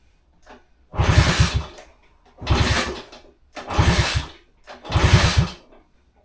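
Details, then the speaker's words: On a 1966 Honda C200 off the road since 1972, four kick attempts each give a short chuffing burst that dies away. It fires but won't run; fuel is suspected of not getting through. "Give it a full choke. Definitely sounds better than before."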